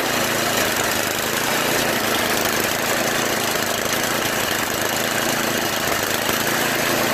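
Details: Tecumseh two-stage snowblower engine restarted after unclogging the float-bowl fuel jet nut and replacing a cracked primer line; previously surged with heavy vibration. Steady even buzz, no hunting or surging: running smooth.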